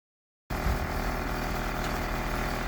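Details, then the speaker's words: 2014 Ford F550, 6.7 Power Stroke diesel, idling, sound from behind the grille emblem; rough gritty grind over the engine note, fan turns somewhat freely by hand; owner suspects a worn viscous fan clutch; fan clutch grinding. "don't know if you can hear it, but I believe that's a clutch fan. It comes directly behind this Ford emblem, but then when you pop the hood up, you can't find it."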